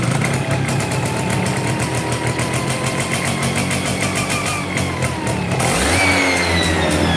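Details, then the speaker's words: Yamaha FIZ R two-stroke that is hard to start, runs hot, pulls heavily and has a rough clutch idles with an uneven beat of about three pulses a second, then revs, with vibration from the crankshaft area; likely worn crank bearings. "Oke teman-teman ini fizrnya kalau hidup agak susah susahnya eh susahnya kehidupannya agak susah terus ada suara getar tengah ya di bagian tengah"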